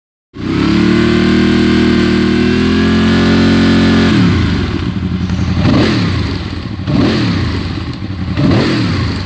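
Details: Honda VFR V4 motorcycle engine idling and blipped while cold: light ticking over the exhaust note that goes away once at operating temperature.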